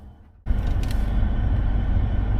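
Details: Mercedes C-Class after home service (oil change, new sump plug, air filter, codes cleared, service reset): engine fires after short crank and settles into a low, even rumble with no ticks or misses; sounds healthy.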